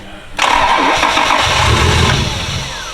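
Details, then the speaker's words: Car engine cranks, catches with a roar, then revs sag and it struggles to stay running and stalls; owner suspects the traction-control throttle bodies won't open, tries jumping them or forcing a vacuum leak. "It's these stupid, I swear, it's the traction control throttle bodies, because it won't allow itself to open up."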